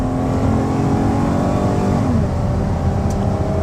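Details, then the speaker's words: 2011 Dodge Caravan wheelchair van, about 45,967 miles, accelerating hard onto highway to 70 mph: engine pulls steadily rising in pitch with one clean transmission shift and road noise; healthy, roadworthy. "I want to get it up, accelerate hard so you can hear the engine run and the transmission shift, and show you whether we ship this van out to you or whether you come in and drive it home, that it's roadworthy, it drives nicely, accelerates nicely."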